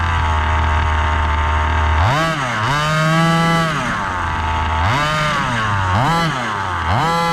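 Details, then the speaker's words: Gas-powered Rovan Baja 5B 1/5-scale buggy, test run after a crash rebuild with a new differential: small two-stroke buzzing cleanly through repeated throttle blips, no misses or rattles. Running normally. "all right guys successful test run everything worked"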